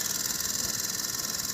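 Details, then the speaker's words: Westinghouse 2-ton split AC indoor unit with its cooling coil iced and water pooled on the top cover and dripping; loud airy hiss with a rapid steady flutter, abnormal noise, cause not yet known. "ये top cover में आप देख सकते हैं पूरा पानी जमा हुआ है। और यहां से वाटर ड्रॉपिंग हो रहा है और इसमें से साउंड भी आ रहा"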